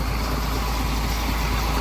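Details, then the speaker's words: Grain auger hauling fertilizer: steady heavy rumble with harsh gritty grinding edge and no clean rhythm; worn auger bottom end rubbing and fighting, getting sharp. "As you can probably hear, the auger's got some wear. The bottom end fighting, yeah, it's getting sharp."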